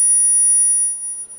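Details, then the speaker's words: 1982 EPI Model 100 speaker during restoration, driven by a signal generator: clean, steady high-pitched test tone with no buzz or rattle; tweeter reproducing highs properly, woofer also working. "you can see we're getting low frequency I can feel the woofer there's very high frequency coming out of the Tweeter"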